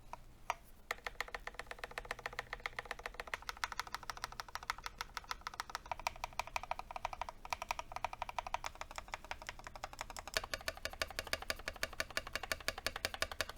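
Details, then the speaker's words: NK87 aluminum keyboard with default stock stabilizers and plastic keycaps; quick keystroke clacks with hollow, rattly clatter on the long keys, stabilizer rattle. "okay so two things a those stabs suck those are the default stabs that come with the board and I don't care enough to fix it cuz the board is not the star of the show"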